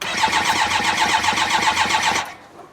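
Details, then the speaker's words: Truck cranked on a jump starter in boost mode, no fuel pump or fuel rail fitted so it cannot start: fast, even cranking about five pulses a second, strong steady turnover, never catches; healthy crank, no start. "yeah there is no way that wouldn't start if if it had the opportunity to do so"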